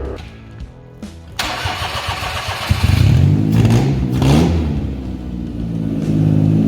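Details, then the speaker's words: Daihatsu Cuore on airbags, newly swapped engine first start after fixing no-run by fitting the automatic dash cluster and plugging in the gear selector; a few cranking clicks, then catches into an even, steady idle; normal engine start. "So after much stuffing around, Ronnie and I have got the new engine in with the wiring and everything, and we actually got it started"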